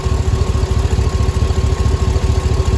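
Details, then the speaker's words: 2005 Cadillac Escalade 6.0 LQ9 V8 idling after lifter replacement and valve job: smoother than before and the lifter noise is gone, but a quick puffing tick rides each firing pulse. The exhaust manifold is leaking, with two bolts broken and three missing. "but it sounds really smooth right now way better than it did and it's got a little bit of the exhaust manifold leak"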